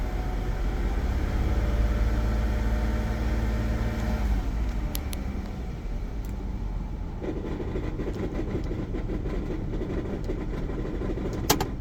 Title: ram promaster 2017 broken flywheel noise. ticking sound inside the pentastar engine.